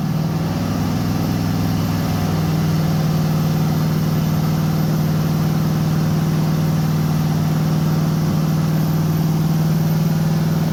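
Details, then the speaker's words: 1989 Chevy S10 Blazer LS swap after refitting the MAP sensor to the LS1 intake, headers warming for the first time: steady even low idle with a constant drone, no misses or knocks; normal idle. "okay map sensor is plugged in I think it's going to idle"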